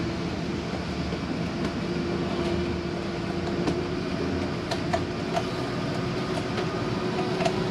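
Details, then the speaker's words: Gulf Stream 295SBW RV slide-out retracting: steady motor drone with a faint constant tone and scattered clicks and grinding, normal as the slide keeps itself from going in too hard. "I want you to know that it's okay to hear that grinding noise. It's just a slide keeping itself from going too hard."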